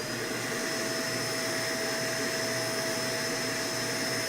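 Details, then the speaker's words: Shark vacuum with a suction problem, hose removed to test only the dirt bin and motor section: steady even motor whine with constant airflow and no extra hissing, so this section runs normally and the fault lies further up. "Everything is good. Everything is good."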